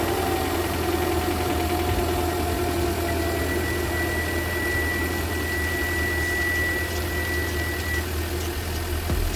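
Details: Hyundai Veloster Turbo idling after swapping out a brand-new aftermarket (China-made, non-Hyundai) engine that had piston slap: steady, even idle with constant low hum and faint whine, no knocking or ticking; quiet and healthy.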